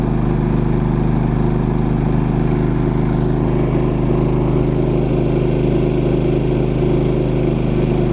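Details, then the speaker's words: Champion 3500 W dual fuel inverter generator powering an electric fireplace on its high blower setting: immediate surge to about 11.5 A at 120 V, around 85 dB. Loud, steady low drone at an even pitch with no surging or misses; normal under heavy load. "okay electric fireplace immediate surge up to about 11 and a half amps"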